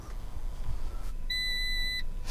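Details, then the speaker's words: Salvage Cat N Fiat 500 Lounge, ignition on after airbag module data wiped and new seatbelts/pretensioners fitted: single two-tone dash chime with airbag failure and fuel cut-off unavailable warnings; owner hopes it is just uncleared codes. "Okay, so I've just switched the ignition on and we're getting an airbag failure, fuel cut off, unavailable, and the airbag light start stop unavailable."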